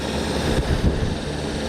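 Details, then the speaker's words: AC condenser fan motor on R-410A unit, tripped 3 A fuse no-cooling call: rough, uneven low drone with high-pitched whine and faint scuffing, drawing 2.4 amps, doesn't sound right. "sounds weird amp draw 2.4 amps on that just doesn't sound right"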